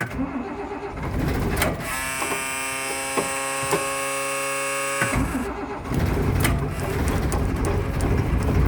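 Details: Bus started cold after sitting about two and a half to three weeks: cranks, catches, steady low rumble that firms with throttle raised, then left to warm up; starts and runs fine.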